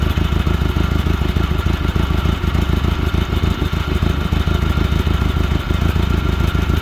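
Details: Glastron Carlson CVX-16 boat engine restarted on the first day of a rejuvenation project, after covering the last holes, to check it blows water out; busy steady idle with quick even beat and light mechanical clatter, running smoothly.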